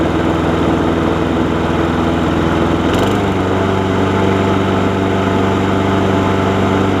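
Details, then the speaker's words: John Deere JA60 push mower after freeing a stuck valve (no compression) and fixing the pull rope, original carburetor with a different jet: steady, even single-cylinder beat, only the tiniest stumble remaining; normal running. "Just for reference, this is the original carburetor back on it with a different jet. You can hear it still has the tiniest stumble."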